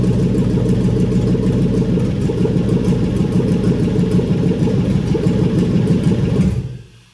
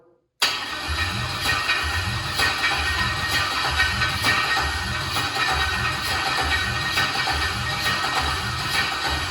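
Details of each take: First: Junkyard engine on its first start after wiring with the fuel pump primed. Steady, even V8 rumble with no knocks or misses until it is switched off. Normal running. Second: Boat project engine pulled from a junkyard vehicle, first cranking test before fuel is pumped up: starter spins the engine in an even chug for ten seconds, water coming out of cylinders, never catches; cranking dry, no start without fuel.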